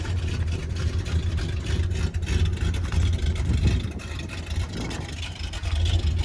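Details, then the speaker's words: Dodge 440 big-block V8 in Travco motorhome, sat nearly 20 years, warm after Italian tune: deep steady idle with slight unevenness, much better than yesterday but not perfect, unburnt gas still smelled. "i'm sure you guys can hear how the idol has improved it's still not the best but it's way better than what it was yesterday"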